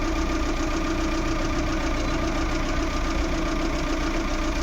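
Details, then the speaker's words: Maruti Suzuki Eeco petrol with company-fitted CNG after replacing faulty MAP sensor (code P0108): smooth, even idle hum, steady low rumble, no stumbles; earlier jerking and whole-engine vibration gone. "Start रखा है, और जो पहले झटके मार रही थी, engine पूरा वाइब्रेट हो रहा था, वो नहीं हो रहा है।"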